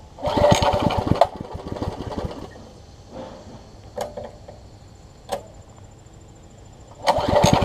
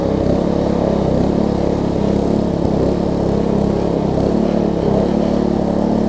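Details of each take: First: Troy-Bilt Tuffy rear-tine tiller, rebuilt from pieces; gas is reaching the carburetor but it won't keep running. It pops into life for a second, dies, coughs weakly, then fires briefly again: fuel starvation from a carburetor diaphragm fitted the wrong way. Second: Troy-Bilt Tuffy rear-tine tiller reassembled after fitting a new fuel pump diaphragm to replace a cracked, dry-rotted one: the small single-cylinder holds a steady, even putter with no misses, surges or knocks; runs smooth and healthy, though a worn control cable is suspected.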